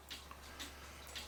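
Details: Citizen battery cuckoo clock after repair: soft, even ticks about twice a second over low room hum, beating steadily and in balance; earlier stoppage blamed on the pendulum slip clutch needing resetting.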